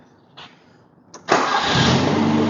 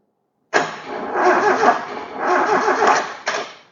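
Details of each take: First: Toyota Corolla KE20, sitting since the early 1990s, with radiator refitted, air cleaner on, distributor timed and new ignition coil: two short cranks, then it catches into a steady, even idle; throttle slightly sticky. Normal start and idle. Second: KE20 Toyota Corolla left sitting since the early 90s, with fuel, valve saver and confirmed spark: a sluggish, dragging crank of about three seconds with no catch. The owner suspects the starter motor is on its way out, since the engine turns relatively easily.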